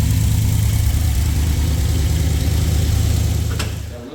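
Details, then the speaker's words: Freshly rebuilt LS V8 in a Jeep with new forged internals, higher compression and a new cam, not yet tuned, first cold start: deep, steady idle with an even lope, no ticking or knocking, 50 psi oil pressure; healthy. "50 lbs oil pressure. That's what I want to see. [Music] There she comes in. [Music] Sounds much better."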